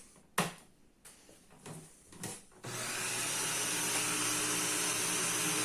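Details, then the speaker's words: Paper shredder run with paper bound on the roller ends; after a few clicks the motor spins up to a steady, even whir as the jam grinds free, cutters turning freely again. "And let it run. And then you'll hear that it frees up."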